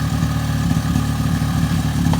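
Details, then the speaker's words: 2002 Suzuki LT-A50 quad two-stroke after top-end rebuild with Wiseco piston, idling during first break-in after first start: steady, even low burble with no misses or hunting; sounds healthy. "try to rub it out but yeah it sounds healthy I was getting hot getting hot"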